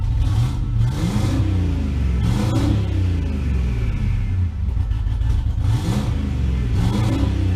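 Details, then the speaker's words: V8 after repair of a faulty pushrod: deep blips rev up cleanly and drop back to a steady idle with no miss or tapping; engine now sounds healthy and free-revving. "so it looks like we've got the bird back guys she sounds good and it looks like all that was was a freaking push rod"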